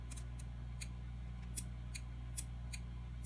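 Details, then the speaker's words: Early Gen 1 RCI 2950 radio, suspected CPU board fault after reset switch soldering: sharp dry relay clicks about four per second over low hum while set has no power; PA relay chattering, cause suspected not confirmed. "And we do not have power, but we do have our relay clicking for PA. Of course, that's a physical connection, not through the CPU."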